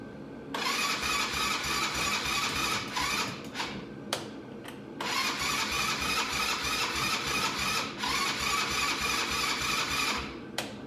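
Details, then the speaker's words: Cheap Chinese buggy/4-wheeler sitting 2 years, in neutral after E-stop button reset: starter spins the engine in steady bursts of about three turns a second but it never fires; cranks, no start yet. "All right. The good news is it turns over. It's not running yet."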